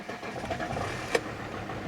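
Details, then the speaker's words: Alfa Romeo 159 five-cylinder, first start after new engine fitted, at about 13 degrees: catches quickly and settles into smooth, even idle with no knocks or rattles; healthy normal start. "Right, so this is my first time hitting the button in this car and it actually started. I'm so excited to hear this car run and find out what it sounds like."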